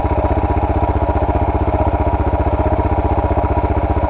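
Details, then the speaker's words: Suzuki DR650 single after carburettor and air box modification with new exhaust: even, steady idle thump with no misses or hunting; owner calls it a good idle, on par with before the mod. "That's it idling. Sounds alright. I think that's a good idle. Pretty on par with what it was before I did the modification."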